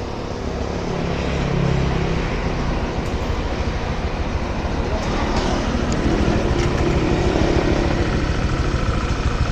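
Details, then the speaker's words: Honda Vario scooter with oil consumption, smoke and oil leak complaints, after revving: rough, lumpy idle with an uneven low clattering knock; source not yet found, CVT to be removed to check whether it comes from CVT or engine. "Suaranya kemplotok, guys. Jadi ada suara klotok gitu."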